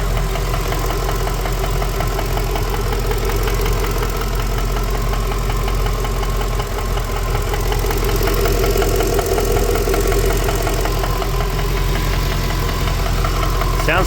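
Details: Ford BA Fairmont V8, warm idle after a timing chain repair: a light, regular knock at two to three per second from the rear or center of the engine, not the timing; owner suspects a worn piston pin.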